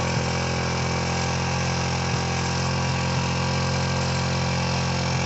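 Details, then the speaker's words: 2004 Suzuki DR-Z125L single-cylinder dirt bike bought cheap and running. Steady, fast, even thumping idle sitting a bit high. Owners suspect the carb needs adjustment; the idle is hanging high. "all right maybe we should uh oh we think we got to do a little carb adjustment sees me hanging a little"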